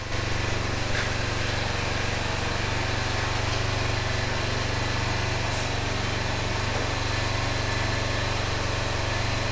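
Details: 2005 Honda TRX650 Rincon, 650cc single-cylinder four-stroke, after a no-run condition: steady, even thrum with no knocks or misses; runs well, though the carburetor may need slight fine-tuning adjustment.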